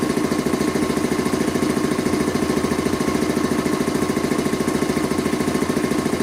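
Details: Rebuilt Quincy 325 air compressor on its first test run after head and valve rebuild, with discharge and unloader control lines hooked up, pumping up the tank: steady, even thumping at about 3.5 strokes per second, no knocks or misses. Normal, healthy running.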